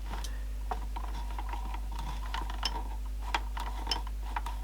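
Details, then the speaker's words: Sony CFS330 boombox tuning dial that will not travel to its end stop: irregular dry ticks and small clicks from the dial drive over a low steady hum; mechanism binding and slipping, cause suspected, not confirmed. "something makes a weird noise"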